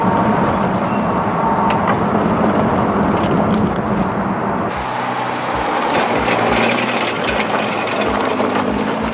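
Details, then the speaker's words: Front brake on a 2014 Nissan GT-R (R35): loose-change rattle of quick light tinny knocks, about four a second, over road noise; the pad retaining pin, held on one side only without the later spring, floats and rattles. "you pretty much get a loose change sound out front it just rattles really bad that pin is only held in on one side so the other side can float around and rattle a little bit"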